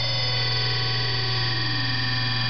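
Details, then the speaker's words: 1/2 hp 6-pole GE SCR repulsion induction motor running counterclockwise while its brushes are shifted toward electrical neutral: steady hum, tone sliding as the motor speeds up; normal running. "I've got them loose over to the neutral and it actually speeds it"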